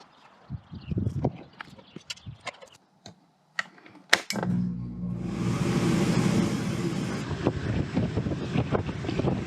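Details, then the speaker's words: RV trailer air conditioner fan motor that wasn't spinning, after replacing start and run capacitors: a few clicks, then steady even whoosh and low hum, fan running smoothly without rattle or labouring; normal running. "Well, as you can hear, it's back up and running, and it's running well."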